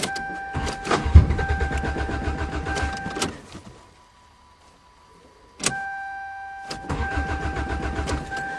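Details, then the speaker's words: Toyota GTS, cold start in March just above freezing: the starter churns in steady bursts and the engine barely catches then dies, the same as last year. It cranks but won't start; the owner can't hear the fuel pump and suspects it is stuck. "I can't hear the fuel pump probably is a stuck fuel [Music] pump yeah I bet oh man how many fuel pumps went bad this [Music] winter just enough to tease"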